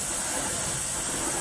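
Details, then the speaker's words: Air-bound hydronic hot-water heating loop being purged: a steady, even hiss of air and muddy, dirty water rushing from an open purge valve; a lot of air in the system, flushing so the water circulates better. "right now we're purging the system of air and getting some of this really karate water out of here there's a ton of air in the system and i mean this water is like mud"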